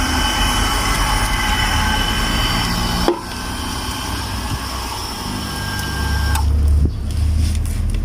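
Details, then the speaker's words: Water pump motor that replaced an earlier Hitachi pump; a steady electric motor hum runs a few seconds, then a sharp snap and it cuts out and stops working. Capacitor suspected, not confirmed; the pressure switch and diaphragm were also repaired. "ช่วงแรกก็มอเตอร์ก็จะทำงานนะจะมีเสียงนะครับของมอเตอร์ทำงานแล้วก็สักพักนึงก็จะมีเสียงตัดดังแป๊ะแล้วอ้าวเงียบไปนะครับแล้วก็ไม่ทำงานครับ"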